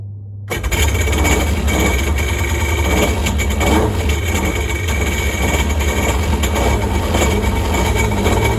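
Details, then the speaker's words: Polaris jet ski with Ficht direct-injection engine, after electrical repair for no spark and oil hydrolock; catches quickly and runs strong and steady, but won't shut off with the start/stop button because the LR 503 module is bad. "crank it up and I could not get it to stop running I'm hitting the start stop button at the moment and it's not stopping because the LR 503 module is bad"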